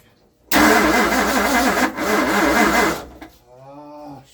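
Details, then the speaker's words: 1960 Ford Starliner with 360 FE Tri-Power engine cranks unevenly for about 2.5 seconds and never fires; it leaks fuel, and the owner suspects the accelerator pump. Cranks but will not start. "yep I'm disappointed guys I didn't get it running I promised you guys that I'll get it running for this video"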